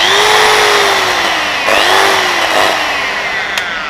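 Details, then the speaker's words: Bosch GWS060 angle grinder that lacks power and cuts out; a high motor whine sags and surges unevenly and cuts in and out, with a shorting-like sound; the armature is suspected. "นี่ครับได้ยินเสียงอะไรแปลกๆมยอ่าประมาณเแหละก็คือมันติดๆดับๆแล้วก็เสียงเหมือนหุ้นช็อตด้วยนะครับ"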